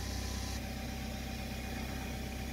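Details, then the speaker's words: 2015 BMW X5 F15 after installing a new air suspension compressor with a new relay: even engine idle with a steady low hum and a faint whir as the compressor runs smoothly, and the sagging suspension slowly rises. "okay the air compressor is working this rail is slowly needed time to hear the compressor running so hopefully they're all okay it's coming up slowly"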